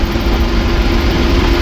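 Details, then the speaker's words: 1966 Ford F350 dump truck driven on highway above 55 mph; heavy road roar with steady mid-pitched howl that disappears with clutch pushed in; owner unsure if transmission or driveline; driveline howl at highway speed. "if you get her up a little higher. And goes away with the clutch being pushed in. So, I don't know if that's transmission, if that's just driveline noise and vibration, but it's kind of loud, and we're going to listen to that for the next 4 hours."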